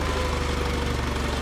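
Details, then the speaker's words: Vintage Allis Chalmers FP-40 forklift after fuel system overhaul and carburetor install, first run in four or five months, idle raised, steered tire loading the hydraulic pump: low even idle thump, heavy strained wheezing beat; engine labouring under hydraulic pump load. "the uh the tire would have been turned and i guess the uh you know the load was on the hydraulic pump i could kind of hear it wheezing away so that's not too bad"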